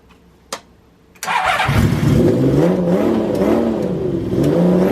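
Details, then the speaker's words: Honda CBX six-cylinder with newly fitted Delkavic 6-into-1 exhaust, after new spark plugs cured running on five cylinders: starts cleanly, revs rise and fall with smooth even howl, no missing beats; now runs on all six, though still a bit lean. "I got brand new spark plugs in it all, and it runs on 6. Give this a listen guys, this sounds fantastic."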